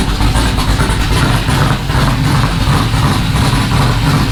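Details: Rally Camaro V8 (LS), first start on a newly installed Aces Jackpot standalone ECU with 33 lb injectors: catches and settles into a lumpy but steady idle with a deep rumble, no knocks or misses; running fine.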